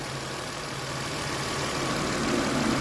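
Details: 2015 Nissan Rogue at idle with AC on, after repair of a bad cylinder misfire: smooth, even idle with a steady low hum and no stumble or miss; the engine now runs cleanly on all cylinders.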